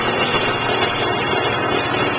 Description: BMW Z3 Roadster 2.5L engine idling. Extraneous engine noise heard in background. Sounds loudest near the alternator.